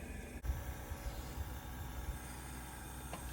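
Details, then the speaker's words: Daikin VRV IV-S 3hp outdoor unit serving two bulkhead indoor units, during commissioning run: steady low hum of condenser fan and compressor, a few soft thumps and a faint click as valves open, suction line getting cold; running normally. "we've got the condenser fan on, compressor's running. We feel the pipes here. We've got our suctions getting cold. We can hear different valves and whatnot opening."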